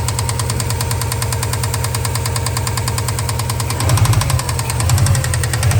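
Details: 2003 Subaru Impreza WRX NB (GDA), EJ205, 5MT, 153,519 km; turbo overhauled after noise, then A/C compressor noise, then engine noise. Steady idle with a deep, regular bottom-end knock growing louder; #3 bearing is suspected.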